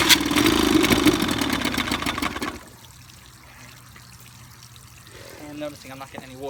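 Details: 1955 Evinrude 7.5 hp fleet twin outboard after new coils, a replacement carburetor and a single-line fuel conversion; spark plug wires were swapped for firing order after ten minutes of pulling. It pops and sputters for a couple of seconds, then dies: it will not keep running.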